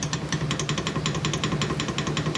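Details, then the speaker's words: Fridge compressor in a solar setup, sitting loose without its original mounting bolts and springs: fast irregular metallic rattling, several knocks a second, over a steady low hum; owner plans to fit bolts. "Improvements to my fridge there, although there is kind of a loud rattle now that I've fixed it. I'll just that's probably why the original bolts were removed in the first place, because the compressor was just sitting there."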